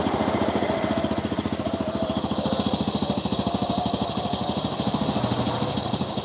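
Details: Honda Supra motorcycle after engine rebuild, spark plug found not tightened: uneven, lumpy beat that hunts and won't hold steady; rough unstable running, carburettor flooding.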